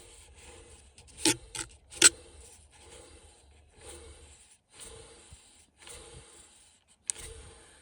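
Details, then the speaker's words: 2011 Dodge Ram 1500 4th-gen old blower motor, removed and spun by hand, after grinding from the heating system: dry rasping scrapes in uneven bursts, likely worn bearings; the new motor is silent, suspected cause. "That's what the old one sounds like. Old one. New one. Silent. So I suspect that was our problem."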